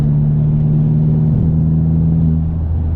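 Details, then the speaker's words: VW Mk4 Golf GTI at full throttle: deep drone sags and stumbles, cutting power then pulling strong again; boost had varied 5–12 psi; N75 valve suspected, later found sticking and not holding boost at high revs, replaced. "get the hesitations and the cutting the power and then it will pull again strong so similar thing to what was happening before"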